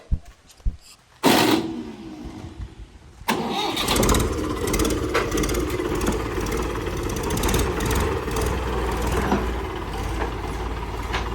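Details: Mahindra tractor after full service (engine oil, coolant, hydraulic, oil and diesel filters changed); a few short bursts, brief crank, then the engine catches and settles into an even low idle, normal start.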